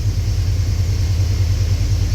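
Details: 1989 Chevy Silverado after replacing coolant temperature sensor that caused no-start: still idling after about 8-10 minutes, idle dropped normally once warm; steady low even rumble, no misses, knocks or hunting; owner tentatively thinks it's fixed.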